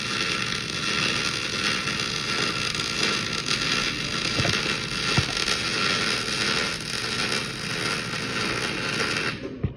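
An even, steady frying crackle holds for the whole run with no loud pops, so the arc is burning normally.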